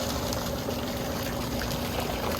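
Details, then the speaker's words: Old above-ground pool pump converted to pond transfer pump, no filter, after priming by filling it directly: strong steady rush of water over even motor hum, no gurgle or surging; pumping normally. "Holy crap, that works better than I expected it to."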